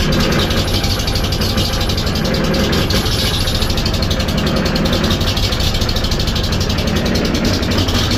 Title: Oil Field Compressor Rough Idle: What Could Be the Cause?